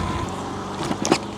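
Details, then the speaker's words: Kukirin C1 Pro electric scooter (500 W rear-wheel motor, 48 V 26 Ah battery, 14-inch wheels), ridden over broken ground in rain: a few sharp, light clacks over the riding noise as the battery knocks loose inside its box. "Ah, tu entends le petit claquement là, ça c'est la batterie dans sa boîte."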